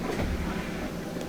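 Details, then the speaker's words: Whirlpool washer that previously would not spin or agitate, only clicking, now tested after the motor was reconnected: steady low drum rumble and hum with no knocking or grinding. Normal spin after repair. "back spinning again and back at agitating"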